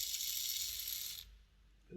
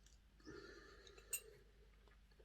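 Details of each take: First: Hornby R066 Duchess of Sutherland model loco bought as an eBay non-runner, gear oiled: thin, fast buzzing rattle as a gear flails in one direction; the spindle is worn oval from lack of lubrication. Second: Hornby R066 Duchess of Sutherland model loco motor on battery test after fitting new brushes and springs and gear-oil lubrication; small motor whirs steadily at a high even pitch, much quieter, no grinding.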